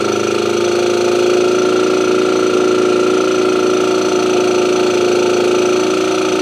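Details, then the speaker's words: Motobécane AV89 two-stroke moped after ignition repair, now starting well: thin wavering idle with a loose uneven beat that never settles, engine turning too freely; low compression explains the poor idle, head tightness to be checked. "Par contre j'ai pas de compression, ce qui explique mon ralenti."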